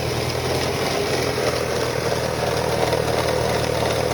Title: 2001 Toyota Camry rattling sound